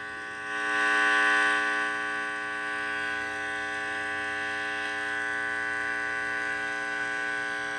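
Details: Heathkit IT-12 tube signal tracer with the gain turned right up: a loud, steady mains buzz of layered even tones drowns out a faint radio station; the owner suspects a short remains in the probe, unconfirmed.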